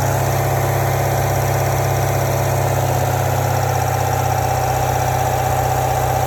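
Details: 2017 C7 Corvette Grand Sport with M7 manual at low idle, with a light, fast rattle about four a second from the engine compartment at low rpm; source unknown.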